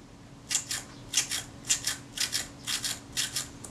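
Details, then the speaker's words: Voigtlander Perkeo II roll-film camera, Synchro-Compur shutter (80mm f/3.5 Color-Skopar) after flushing its retard gear train with solvent and blowing it away: quick, crisp metallic whirrs in paired bursts, prompt and clean, whiz of the teeth audible now that the dirt is gone; normal. "That's nice and prompt in its action. It even sounds clean, sounds metallic. You hear the whiz of the teeth. You weren't hearing that before because everything was covered in a layer of dirt."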